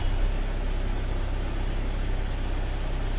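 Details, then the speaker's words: Volkswagen Taigun idling after battery replacement fixed crank-but-no-start and long cranking from a bad-cell battery; steady, even low hum with no knocks, misses or hunting, smooth healthy idle. "यह देखिए हमारी गाड़ी proper तरीके से अब ready हो चुकी है अब हम इसे बिंदास अपने जो कस्टमर है उसे दे सकते हैं बिना किसी कंप्लेन के"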